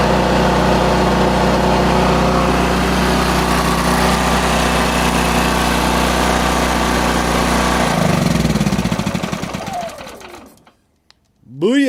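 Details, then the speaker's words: Powerhouse PH3100Ri remote-start generator after doubling up the choke spring to cure hard starting, started by remote: steady even low drone with no misses or knocks, then smooth wind-down; normal running. "boys and girls that's exactly what we were looking for so now when it's cold out they don't have to get out of there"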